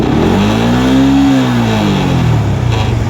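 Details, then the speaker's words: Yamaha R15 (old model, Exciter engine) after removing an aftermarket injector and refitting the stock exhaust: sharp blip, revs climb fast and fall cleanly with no stumble; previously idled rough at 1,000–1,100 rpm running rich, now normal. "อันนี้คือดีขึ้นมาปกติและเดี๋ยวเบิ้ลรอบตัดให้ดูเนี้ยคือรอบขึ้นไว"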